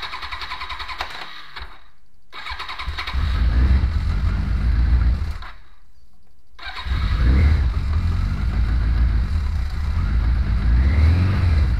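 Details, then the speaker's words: 2001 Kawasaki KZ1000-P, 33,555 original miles, first start in over six months on remote fuel supply, cold-blooded: rough cold start settling into fast idle with light mechanical rattle from the engine; owner suspects overdue cam chain, unconfirmed. "this bike was always kind of cold-blooded as it was and you can hear that rattling sound from the engine is the cam changed damn shame makes a bit of noise it's kind of overdue to be replaced"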